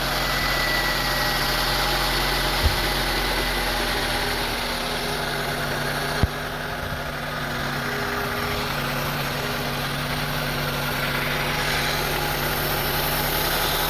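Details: 2002 Honda CR-V 2.4L with very rough idle, surging and stalling, idle air control valve and throttle body being diagnosed; uneven lumpy beat with wavering speed.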